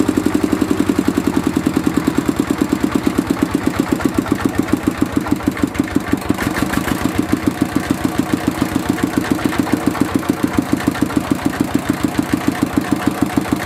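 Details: Mitsubishi D-series single-cylinder diesel after repair of fuel leaking into the oil sump and white smoke (pump plunger, valve and seal replaced): steady, even thump about three and a half beats a second, no misses or knocks; runs cleanly.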